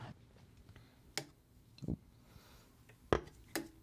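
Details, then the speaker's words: Ampeg GVT15-112 tube amp, after swapping Celestion Seventy 80 for Warehouse G12C/S speaker, 9-volt battery test: four crisp pops about a second apart, each a clean thump as the cone moves; speaker working normally. "okay so you hear that noise that means that the speaker is working because the battery caused the speaker to go to the extreme position"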